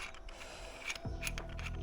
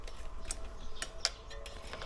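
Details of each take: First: Pressfit bottom bracket bearing removed from a carbon AliExpress road bike frame and turned by hand: gritty uneven crunching with clicks. This is the same crunch heard when pedalling. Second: Aliexpress carbon road bike after replacing press-fit bottom bracket with ceramic-bearing unit to fix creak, cranks hand-spun: soft free ratchet clicks, no grinding or drag; spins much better, though creak later persisted while riding.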